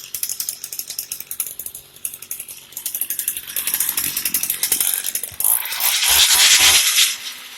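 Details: Heavy-duty Echo weed eater that wouldn't start, after reseating a loose part held by a C-clip: uneven two-stroke puttering at idle, then a clean rise to a high screaming rev; now running properly.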